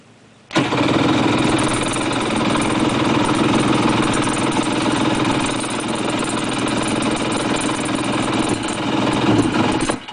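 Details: Jet ski, choke fully out, starting in the lift; about nine seconds of uneven starter cranking with a single faint fire that never catches, releasing the button then would not keep it running. Cranking with single fire, not catching.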